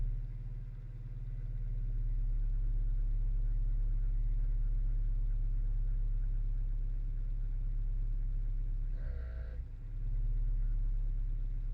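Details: 1995 Acura Integra LS with a B18B1 5-speed and AEM intake, idling around 750 rpm: steady hum broken by a short, bleating buzz from the passenger side under the hood every few seconds, cold or warm, whenever the key is on; ABS light on; cause unknown.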